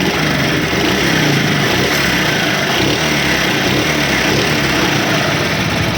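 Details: Small motorcycle engine running steadily and evenly with no ticking from the valve gear, heard after a no-cost fix of internal engine noise, hand held over the silencer while throttle is given.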